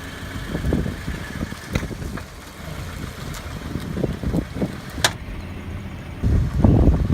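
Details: 2013 Scion FR-S (Toyota GT86) making low thumps and sharp pops from the left front suspension and brake area while moving slowly and turning; traced to a brake caliper slide pin popping.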